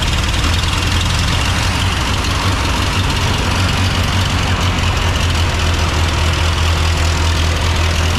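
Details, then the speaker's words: 1929 Austin Heavy 12 four-cylinder, 95-year-old engine, idling low and steady with an even beat and no misses or knocks after adjustments; vacuum fuel pump drawing from tank, cracked head weeps coolant. "oh and we reckon it's it's the vacuum pump for the fuel and we reckon it's drawing fuel from the tank and it's not misfiring which is an absolutely cracking result"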